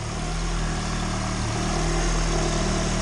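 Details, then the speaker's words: Turbo Honda engine in EG hatch, freshly installed, warming up for first heat cycle; smooth even idle, steady low hum, no knocks or ticks. "Now I'm just going to let it warm up and give it a heat cycle."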